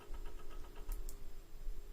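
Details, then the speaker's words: Thick 12V 120mm fan on 50% duty PWM from an Arduino and MOSFET at 4 Hz, drawing about 110 mA: a quiet fan with a soft putt-putt pulsing several times a second, like a moped, because the PWM frequency is too low. "and while it does run at four Hertz it doesn't sound nice and it draws it about 110 milliamps oh well it sounds like a moped"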